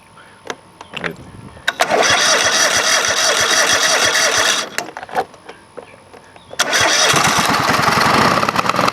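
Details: Craftsman GT5000 lawn tractor twin after woodruff key replacement, run without cooling fan and housing: catches in two uneven bursts with ragged, shaking beat, cutting out between; rough running with vibration, cause unknown, owner doubts crankshaft or weight problem.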